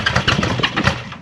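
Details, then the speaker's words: Honda CB550 motorcycle, first start with brake cleaner in the carburetors: short burst of quick firing pulses that fade as throttle drops; engine catches and runs, sounding healthy. "That's nice! That sounded good. That was actually running."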